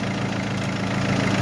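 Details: Mercedes that would not crank even with a new battery, running after the starter motor's brush contact was fixed. A smooth, even low rumble at steady idle with no misses, knocks or starter noise. Normal idle.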